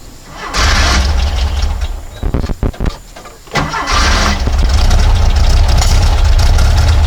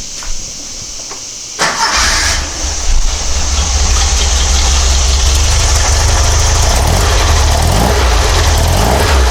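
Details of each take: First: Porsche 912, Dellorto DRLA carburettors, after the update kit and a test drive: stumbling start, then lumpy uneven idle with a dead pulse, running on three cylinders; owner suspects a plugged idle jet, number three at first, later found to be cylinder four. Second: Porsche 912, Dellorto DRLA carburettors with update kit, idle jet cleaned, cold start after sitting a day, using the accelerator pump from outside the car: brief crank, then steady even idle with no misses; sounds much better than before.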